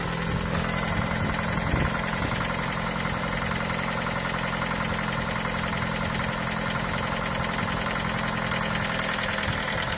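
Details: Ford Focus 3 1.6 105 hp, 185,000 km, knocking for the last 25,000 km whether cold or hot, sometimes quieter: steady idle with a light quick ticking knock about 160 a minute throughout; cause unconfirmed, suggested valve adjustment, VVT phasers or piston pin.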